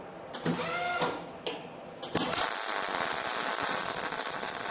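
Wire-feed motor whirs, then a harsh, uneven arc crackle with spitting pops: wire speed outrunning the welding current.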